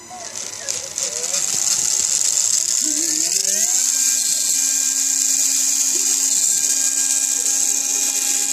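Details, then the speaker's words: TXT1 gearbox, gear noise from pinion mesh: small motor spins to steady high-pitched whine with gear mesh singing; owner thinks pinion backlash is about right but will try adjusting it, cause unconfirmed. "ここのギアの音ですね。ピニオンとのバックラッシュはこんなもんでいいと思うんですが、ちょっと調整してみましょうかね。"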